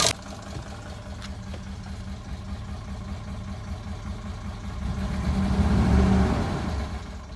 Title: 2003 Dodge Durango V8 4.7L engine rattling noise